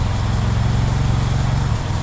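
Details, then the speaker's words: Honda Civic Genio with Ferio engine, cold start: low, steady drone with a slow lazy pulse, idling too low at about 600 rpm while the ECT sensor reads around 2.3 V; ECT sensor suspected, appears still good, not confirmed. "Kita nyalakan mesinnya. RPM-nya dia rendah banget ya. Jadi di 600 RPM dan ini sensor ECT-nya."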